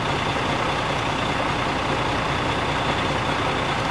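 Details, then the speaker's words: International 9200i truck with Cat C12 diesel idling at 600 rpm, started for a cylinder cutout test on a Foxwell HD500 scanner before injectors are cut; big six-cylinder idles low, even and steady, no misses or knocks: normal diesel idle. "Start engine. All right. Okay. All right. Got 600 RPM."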